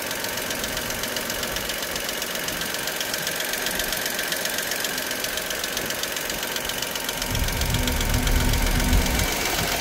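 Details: Dacia Sandero SCe75 at idle: fast, fairly regular light ticking about four per second over a steady idle; ticking at idle, cause not pinned down.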